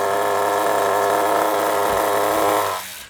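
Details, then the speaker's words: Kyosho MP9 nitro RC buggy after tick-over screw adjustment: a high, buzzy, even tick-over without wavering that does not move when braking, then cuts out. Idle is solid and well set. "That's because I got it balanced perfectly. Absolutely perfect. When you push the brakes, the tick over doesn't move, it stays solid."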